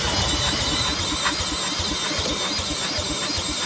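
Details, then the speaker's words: Gravely Rapid tractor cranked with a drill. Steady cranking with a regular chuff never catches: no spark because the brand-new plug's electrode was bent and the gap closed. "so we decided to check for spark again because it just didn't make sense that we didn't get one pop out of this thing and we took the spark plug out the brand new spark plug and the electrode was bent"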